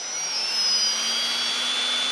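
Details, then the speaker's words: Turnigy Multistar 2209 1200 KV upgrade motors on a Blade 350 QX with carbon fiber props, run-up: high, smooth whine rising with throttle, no rattle or gritty bearing noise, much quieter than the stock motors; normal motor run-up. "wind generated by the the cooling ports on the top these things are super quiet"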